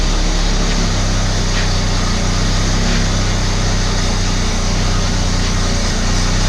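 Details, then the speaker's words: Abandoned Australian Ford Falcon ute carbureted six: deep uneven stumbling idle, lean misfire sounding better at the rear; owner almost certain of a blocked idle circuit, suggests working the idle mixture screw; exhaust leak also present. "100% just blocked idle circuit, I'd almost guarantee it."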